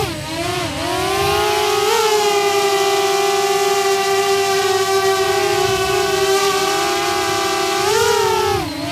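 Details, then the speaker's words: DJI Mavic Air with stock propellers, hovering then punching up: loud bee-like buzzing whine, steady in hover and jumping in pitch on each climb; stock propellers are simply noisy. "And when the Mavic Air is up in the air, people run for the hills because it sounds like a swarm of bees is coming to get them."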